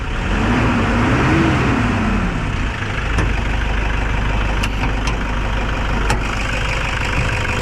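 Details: Toyota Hilux 2KD diesel that would not start, after replacing failed fuel injectors and pressure pump: steady, even diesel clatter at idle, no misses or hunting; running clean.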